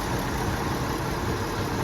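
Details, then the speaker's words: 1971 Ford F250 3/4-ton two-wheel-drive six, sitting 22 years, radiator damaged: once warmed up it settles to a steady, even idle with a soft low rumble, no knocks, misses or ticks; normal warm idle. "she's just purring like a kitten listen to that thing it once when it got a little bit of heat in it it sounds so good"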